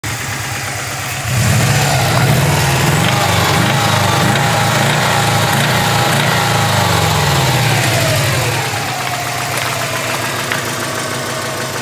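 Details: 2003 Subaru WRX EJ205 petrol engine with 130k miles, metallic knocking at idle and through revs; spun rod bearing failure caused by inadequate oil levels.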